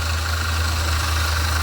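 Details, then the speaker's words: V8 at idle heard through a screwdriver touched to the belt tensioner pulley: faint rapid chattering rattle over the steady idle; alternator ruled out, bearings in the tensioner pulley are going bad. "that's the sound I hear in my ear so that tells me that the pulley for the uh for the tension pulley the bearings in that tensioner pulley are going bad"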